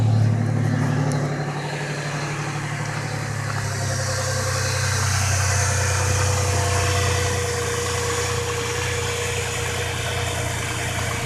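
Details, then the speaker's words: Truck at last test startup after a week of Marvel Mystery Oil, before the oil change: steady low idle with an even rumble and no ticking or tapping; the earlier lifter tapping is gone. "and as you can hear there's no lifter sound thankfully so"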